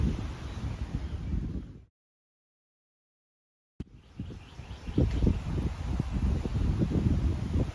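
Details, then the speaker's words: 1959 Johnson 5.5 HP two-stroke outboard after complete powerhead, magneto and carburetor rebuild, test-run and fine tuned: quick, steady putter after a short cut, firing evenly about three times a second with no misses; runs clean. "ah there she is Larry powerhead rebuilt Magneto rebuilt carburetor tested fine tuned Auto's great ready to ship back to Larry"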